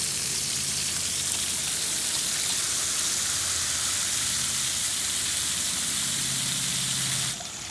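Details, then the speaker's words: Pool cleaner backup valve, fixed from sticking and slow closing by reseating its small gear on the bar. A steady hissing water jet with a faint low whir, cutting off at the end; normal backup mode cycling. "Now we're going to open. That would be your normal backup mode."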